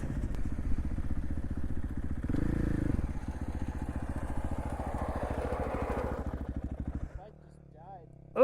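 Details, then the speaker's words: KTM dirt bike single-cylinder after engine failure on desert ride: rough, clattery idle with irregular mechanical rattle before cutting out; riders suspect bearings, cause unknown. "that sounded horrible just now. >> Yeah, >> this bike sounds horrible. >> It sounds like like bearings or something."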